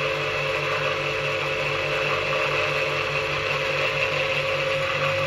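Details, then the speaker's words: Electric motor run on 220 V in star connection with no load, after a bearing overhaul with fresh grease: steady, even hum with a light high whine and no knocks, normal smooth running. "Вот слушайте, как работает. На звезде он практически может работать в режим S1. Он практически в неограниченном режиме может работать."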